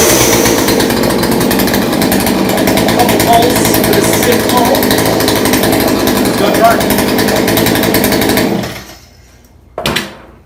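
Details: Craftsman two-stroke chainsaw, found in the garbage, now working after carburetor low/high idle adjustment; loud, high, steady buzzing run for several seconds before cutting off.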